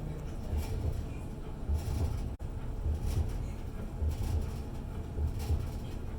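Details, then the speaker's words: Electrolux dryer after repair, where the pulley had come completely off and the drum stopped spinning after long running like a loud truck engine. Now a low, even rumble with a soft tumble thump about once a second, no squeal or scraping, running smoothly. "I just want you guys to know that the dryer is and it is running and it's working so kudos to me"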